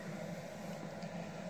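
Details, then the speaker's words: Samsung WF1114xBD 11 kg washing machine stuck in drain phase: steady low electrical hum with faint buzz, no spinning or water movement; drain pump energised but stalled, debris in filter (bead, adhesive) suspected or pump fatigued. "donc quand ici il signale qu'il est en train de se de vidanger et vous entendez le la pompe du moteur qui bourdonnent à vous mettre son oreille dans ce cas on vidange tous"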